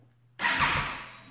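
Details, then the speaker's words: 2008 Triumph Daytona 675 wrecked-bike rebuild, first start attempt in neutral after the fuel pump primed: a brief churning crank under a second that dies without catching; the owner suspects a low battery. "Ooh, didn't want to start. Okay, let's try that again. Battery might be a little low."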